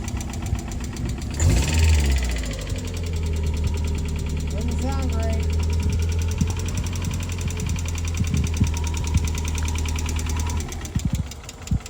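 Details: 1993 Mazda Miata, over 200,000 miles, just revived after sitting nearly a year as a no-crank no-start (fresh gas): engine settles into an uneven, lumpy low idle with irregular beat; rough running, cause unconfirmed.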